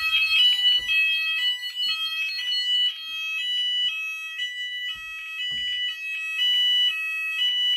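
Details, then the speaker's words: Apollo XP95/Discovery house fire alarm Symphony sounder triggered by an optical smoke detector test. Steady high-pitched alarm pattern with occasional rough crackly bursts; owner attributes this to bad solder connections in the sounder. "um okay so the symphony did crackle a bit this symphony does have a bit of issues where the soldier connections are bad so yeah it did crackle just a bit"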